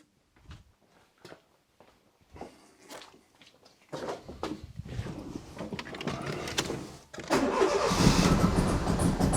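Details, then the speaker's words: Fiat Panda 4x4 after turbo kit removal, spark plugs cleaned and refitted: several cranking bursts, catches, then uneven lumpy idle that surges up and down and misfires even with slight throttle; still not running right. "Yeah, as you can hear now it runs. So it was because of the spark plugs that it wouldn't start. I'm now applying slightly throttle to the engine. I'm not pushing it up and down, but take a listen. The engine is going up and down badly."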